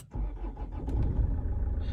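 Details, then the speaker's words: 2010 Land Rover Freelander 2 diesel, engine still warm, first start after replacing the cam sensor for an intermittent hot crank-no-start fault: fires almost instantly and settles into a steady, even idle; normal hot start. "engine's still warm and oh there we go she's running all good"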